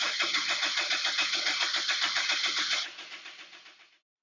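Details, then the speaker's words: 1998 Honda CR-V cranking with injectors unplugged, steady chug with one softer beat; cylinder 3 low compression (55 psi vs about 100 on cylinder 1), cylinder 2 slightly low; starter amperage shows less effort; diagnosing misfire. "the interesting thing here is that we knew cylinder 3 had low compression and so that shows me here it does not take the starter motor as much effort to build that 55 psi versus the hundred so that we saw on cylinder 1"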